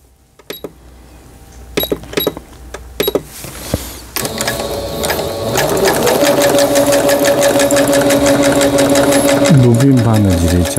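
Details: Singer Stylist 7258 (direct-import) sewing machine after repair of an E4 error (stopped mid-sewing), a misaligned lower-shaft gear, a sensor fault and a slipped timing belt; decorative pattern stitching is fast and even over a steady motor hum, with no knocks or binding. Normal.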